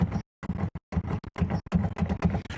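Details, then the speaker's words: Fiat 500 Sport boot lid, latched shut but still loose: bursts of dull hollow thuds, about three a second, as the lid is rocked. It knocks over bumps; adjusting the bump stops has not fixed it and it still needs adjusting. "so that for some unknown reason is not tight so when you go over a bump the there's there's movement in that"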